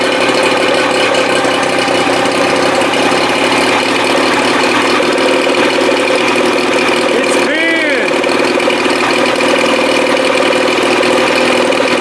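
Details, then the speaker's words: 1987 Johnson 40 hp two-stroke outboard on a 1975 16' Starcraft, run on the boat out of the water: steady even drone slightly faster than settled idle; idling a little high though not touching the cam, cause unconfirmed. "still sounds like you might be idling a little high and it's not touching the cam at all"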